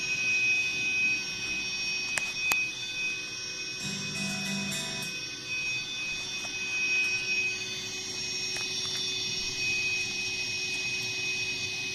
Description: My new TC VOICELIVE 3 pedal with loud hiss sound.... Guitar volume is set to off.... pedal does the hum itself